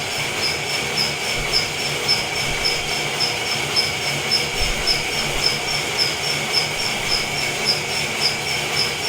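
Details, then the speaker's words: Felting machine after adjustment and repair: even regular ticking just under two beats per second over a steady hiss, no bouncing or clatter as before; now running smoothly. "mike's going to turn it on very noisy it's not bouncing all over like last time this is a good sign"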